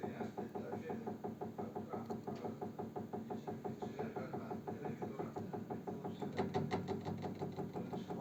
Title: radiator ticking noise